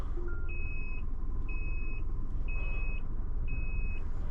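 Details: Maruti WagonR CNG taxi, head-mounted camera, GPS tracker panic alarm triggered: regular high-pitched beeps about one per second over road rumble, SOS alarm won't stop.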